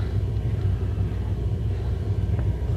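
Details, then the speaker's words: Hartke HD150 bass combo amp with nothing playing: constant low, deep furnace-like rumble from the amp itself that is still there when turned down and grows louder with the EQ raised. The power amp is suspected. "do you hear something sounds like a furnace inside the amp can you believe that very annoying"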